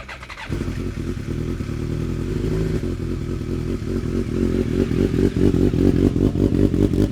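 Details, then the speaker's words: BMW K1200R Sport after a coolant purge under vacuum, a booster plug and a final drive fluid change: engine catches and settles into a steady, even idle; the earlier misfire sound is gone. "idling better it's running better that always used to sound like it was misfiring before I'm not getting that misfire sound"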